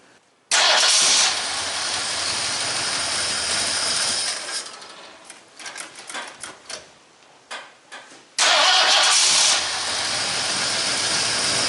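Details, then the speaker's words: 1974 Ford F100 V8 after an engine rebuild with new pistons and rod bolts. It cranks, catches quickly and settles into a steady idle, cuts out briefly, then restarts and runs smoothly: a healthy start. "now let's drop her down and fire up and let it run"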